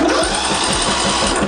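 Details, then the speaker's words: Greenfield ride-on mower that had diesel put through it, no start: spark plug cleaned and tested externally while cranking, sharp regular snapping ticks over cranking whir; strong blue spark, ignition working. "blue spark just the way we like it"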